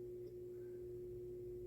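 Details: QNAP TS-253D NAS with its plastic cover removed, which caused a loud buzz: a low, steady, faint hum with a single pure tone and no rattle or buzz, now running quietly.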